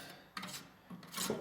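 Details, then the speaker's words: Cisco 3750G 48-port switch reporting fan failure and temperatures of 75°C or more. Its big fan, turned by hand, gives two or three dry, scratchy rasps and drags instead of spinning freely. It's stiff, maybe stuck; the owner suspects collapsed bearings. "i don't know if you can hear that but it's quite stiff maybe it's just stuck then"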